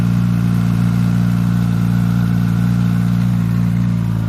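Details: New Suzuki GSX-S1000 GT+ four-cylinder at hot idle after startup: steady deep idle with a light metallic rattle, which began after the first oil change at the 1000 km service; owner considers it not normal.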